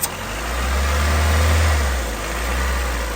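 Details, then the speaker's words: 1990 Honda Civic, 360,000-mile body, ZC DOHC swap, first start: low rumbling idle swelling and sagging, keeps running with intake covered by hand; vacuum leak drawing air elsewhere. "So if you cover that up and the engine still runs, it means it's drawing air in from somewhere else."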